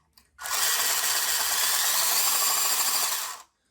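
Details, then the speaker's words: WPL B-1 1/16 RC military rock crawler after drive shaft swap, possibly non-standard motor: motor spins fast with light rapid ticking as the ground-down grub screw on the shaft brushes the motor can; owner expects it may wear in. "as the motor spins you'll hear it clicking a bit so it's on there i mean eventually it'll probably wear itself into place it'll rub a little bit of the surface of the motor and rub a bit of the surface of the grub screw"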